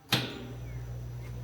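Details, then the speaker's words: 36-inch Tractor Supply drum fan, bearings repacked the year before and spinning freely: click at switch-on, then steady low electrical hum, blades never move; bad start capacitor, fixed by replacing it. "Can you hear the hum? And the fan blades, they don't do anything. No twitch, no move, no nothing."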